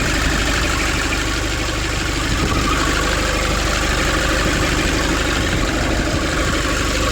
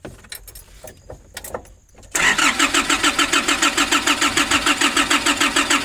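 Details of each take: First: 2005 Nissan Urvan diesel after the pump repair and pipe leak fix, warming up with idle raised: steady, even clatter with no misses, knocks or hunting. Normal idle. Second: 2005 Nissan Urvan diesel, cold, sat for years, diesel pump pipes and bolt replaced, fuel filter primer being hand-pumped: steady starter cranking about three turns a second, no catch; fuel starvation until system primed.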